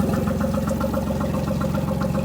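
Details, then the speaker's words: New 2024 Tohatsu MFS40A jet outboard on a cooling-water hose, idling on stabilized fuel for winterizing: steady, even idle with a quick regular beat and clear low hum, no misses or knocks; normal outboard idle. "so I'm just going to run it for about another 10 minutes maybe five uh and then it'll be winterized with uh stabilized fuel"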